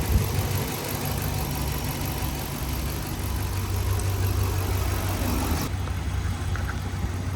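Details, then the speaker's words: 2013 RAM 1500 5.7 HEMI V8 after replacing damaged pushrods and rocker arms that had been improperly installed after a cam and lifter job: smooth steady low idle rumble, no ticking or tapping; running good. "Oh yeah, that sounds a lot better. Alright guys, it sounds good now."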